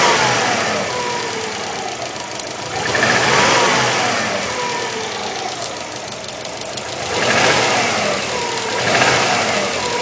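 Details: Subaru Legacy GTB engine rising and falling through revs with rattly knock on top; piston slap suspected, not confirmed.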